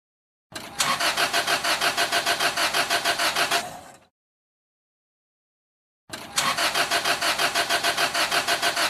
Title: Car Won't Start - Cranking No Start Engine Problems